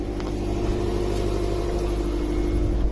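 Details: 2007 Subaru Forester after fixing AC compressor that randomly disengaged from excessive clutch clearance: steady idle with low hum and compressor engaged, no knocking, rattle or grinding; compressor running normally.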